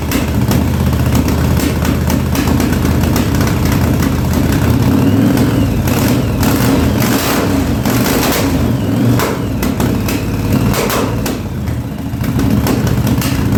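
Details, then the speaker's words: 1983 Yamaha Virago 920 V-twin barn find, rear plug replaced after losing spark: ragged idle with the front cylinder kicking in and out; owner unsure if fuel or plug, intermittent misfire. "that front cylinder I don't know if it's the fuel or what but it's the front cylinder is kicking in and out there a little bit"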